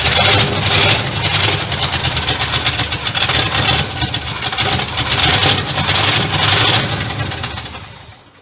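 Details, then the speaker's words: 1967 Cadillac DeVille V8, first start in 40 years, reused old vacuum lines, already running a little hot: rough, uneven running with strong hissing throughout, fading at the end; multiple vacuum leaks. "All right, we got hella vacuum leaks. I can hear them. I've reused some real shitty old lines."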